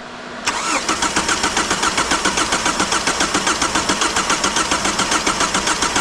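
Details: A 2002 Kia Sportage that sat a long time with the top off, fitted with a new battery, cranks steadily at about four beats a second and never catches while the fuel pump is checked: crank-no-start.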